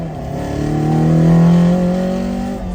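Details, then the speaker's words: Toyota AE86 with a rebuilt 1.6 four-cylinder (20V), on its first test drive off the dyno and running better than expected. A smooth, clean rev climbs steadily in pitch then eases off, with no knocks or misses; the engine is healthy under acceleration. "So, you're a little surprised by a little 1.6. It runs a little better than I thought."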